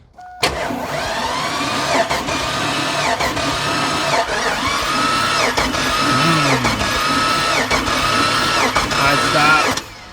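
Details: Chevy Avalanche 5.3 Vortec V8: labored, uneven cranking with a heavy thump roughly once a second and no firing; the piston is destroyed and a rod was thrown through the engine block.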